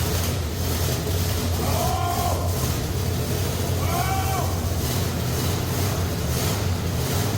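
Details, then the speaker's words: 1965 Ford Galaxie 500 with a freshly rebuilt 390 FE V8, first start after the swap, run with no coolant and the water pump leaking. A low, ragged, unsteady idle rumble; it runs rough and the cause is uncertain. "oh see that be honest it doesn't sound good at all but it's running"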